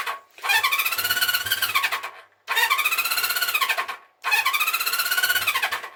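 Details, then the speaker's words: 1974 Honda CB350 Four started with no choke, then at 50% choke: short bursts that swell, sag and cut out, and it won't rev up off choke. "Same thing really. Should be revving up. Should be revving up like that when it's off choke, and"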